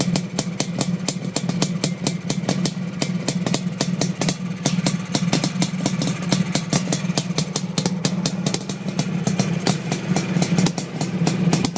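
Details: Suzuki GT500 two-stroke at idle: popping with irregular gaps and uneven firing, a lumpy stutter suggesting a misfire. Cause not confirmed.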